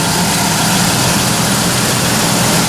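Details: 1997 Ford F150 4.2L, cold start around 30–35°F, after adding Marvel Mystery Oil and changing oil: steady, even idle drone with fan hiss, no lifter ticking that was previously loud when cold; healthy valvetrain.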